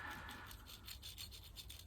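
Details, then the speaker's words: Lotus Elan differential turned by hand during recommissioning; quiet, dry rasping rub with faint rhythmic roughness; rough bearing suspected to be dry, not confirmed, with an oily housing suggesting a leaking seal. "you can sort of hear that bearing sounds a bit dry doesn't it in there interested to know what you guys think"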